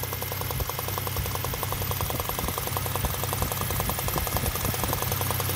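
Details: V6 engine at idle with fast, sharp ticking over steady idle, first suspected as unlubricated camshafts, actually combustion gas puffing past a loose spark plug; fixed free by tightening.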